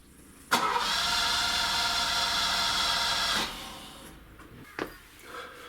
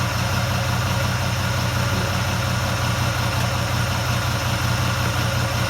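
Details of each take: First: Ferrari 308 GTS bought at auction as a non-runner, carb issue reportedly mentioned: about three seconds of starter whirring that never catches; cranks but won't start. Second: Ferrari 308 GTS bought at auction as a non-runner, after cleaning the distributor cap: steady, even low idle with a smooth rumble and no knocks, misses or hunting; running cleanly after possible initial flooding.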